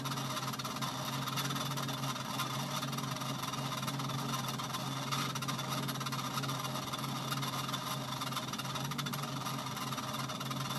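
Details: Treadmill running after long disuse: steady low hum with constant rough scraping hiss; belt suddenly very tight and crooked, dragging off track.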